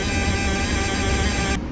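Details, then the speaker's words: Sailboat Ford Lehman diesel, started first try and idling: steady, even rumble with smooth low beat, no knocks or misses; healthy engine settled at idle. "Well, she started first try. If there's one thing that I can't complain about with this boat, it's the engine. The engine is rock solid."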